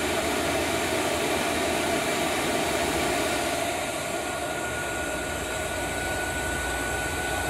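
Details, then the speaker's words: Diesel heater run on 100% biodiesel after kerosene: the pump speeds up and the unit spins up, with a steady, even roar of fan and burner, a faint high whistle, and no surging or popping; it appears to be sustaining combustion normally. "so that's pumpking a little faster that's a unit spinning up oh I can hear one in go the question is will it self- sustain"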